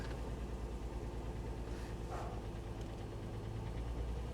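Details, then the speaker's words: 2008 Mercedes ML350 at 186,000-odd miles on start: deep, uneven, lumpy idle with some knocking underneath and a flashing check engine light. Misfiring and running rough; balance shaft issue suspected. "are you going to start for me come on [Music] did you hear that that was terrible we got the check engine light"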